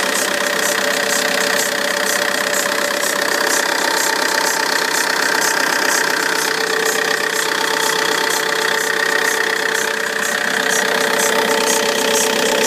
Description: Need advice on what this engine noise is on cold start only then it goes away once warm. It's coming from alternator side, either belt or pulley/ tensioner possibly?